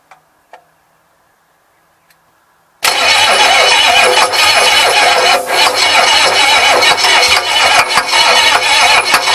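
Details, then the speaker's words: 6.9 IDI diesel after a mild overhaul, on a bench test with new glow plug relay: a loud, laboured crank about three times a second that never catches; too slow cranking, owner thinks the starter is failing, also suspects poor timing. "I know it's not turning fast enough but now that I got the glow plugs I might I figure I might be able to just get it to"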